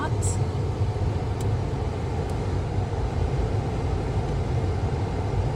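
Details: Jeep Compass after replacing the HVAC blend door actuator (old one had cracked gear, missing teeth) that caused dash knocking: smooth, even air rush from the dash with no knocking or clicking; actuator working normally.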